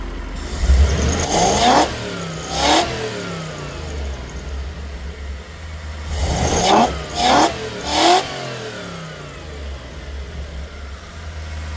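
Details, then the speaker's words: Toyota 1UZ-FE V8 on a Link Monsoon ECU with 2-wire idle speed control, after restricting the idle control hose to about 10 mm to cure an annoying idle noise: steady idle and quick clean throttle blips, no pulsing or surging; fixed. "Sorted. Easy fix."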